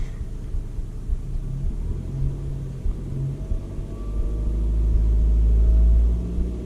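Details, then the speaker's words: Mazda 2 after CorkSport short ram intake install: steady low engine rumble swells briefly, then comes down from fast idle and holds even; no hissing, knocks or misses; normal idle. "okay so that sounds good there's no weird hissing nothing sounds like there's alley closing and she's come down from the fast-idle starting to neutral for clutching anyway"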